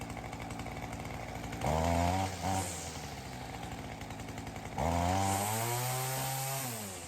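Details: Ryobi CS30 two-stroke trimmer with new aftermarket HiPA carburettor; steady even idle then two clean blips to high revs dropping back smoothly, throaty and responsive; normal running.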